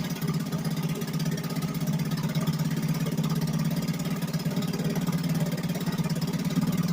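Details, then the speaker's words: 1963 Gale-made Sea King 3hp single-cylinder outboard after a new water pump rotor; putters at an even, steady beat with no knocks or misses, pumping water well, running normally. "say we got success puming like like fire truck"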